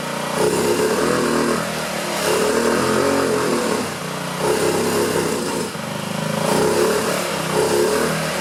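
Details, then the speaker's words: 2009 Honda Metropolitan scooter with owner-fitted new carburetor, after carb cleaner was sprayed in; revs and sags in uneven surges, won't hold throttle cleanly; suspected clog in the carburetor. "It's doing a little better. I might have to take the carburetor off. I hope not. But it seems like there's some clog in the carburetor. Something's not quite right there."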